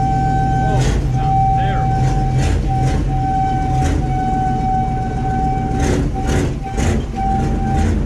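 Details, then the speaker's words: Chevy K5 Blazer, 350 5.7L V8, 4-inch lift, first start of the year after sitting, exhaust leak; steady mid-pitched whine over engine from rear differential, bad only in drive and reverse; owner suspects it needs oil, cause unknown. "oh that rear end man that almost hurts my ears to listen to that geez"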